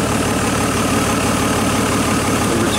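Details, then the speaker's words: GM Trailblazer with stall, no-crank/no-start, blown PCM fuse and P0300 code: lopsided uneven idle with recurring stumble; misfire data points to cylinder number two, coils to be swapped and compression checked. "turning up that's a misfire"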